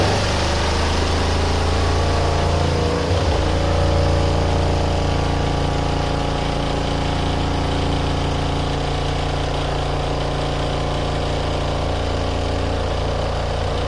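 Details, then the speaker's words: RV washing machine on standard mode with warm water and medium water level, washing bike pants, during the 3-minute final spin. Steady motor hum with low, uneven thumping and wobble in the drum: load went off balance. "Oh, that was odd. It's got really off balance, that's why."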